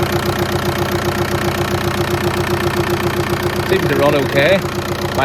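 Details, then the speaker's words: VW Golf after camshaft, lifter and timing belt replacement, first start before coolant refill: even, steady idle with a regular beat, the previous loud knocking gone. "Let's see if the awful knocking noise is gone. Yep, that's that knocking noise sorted."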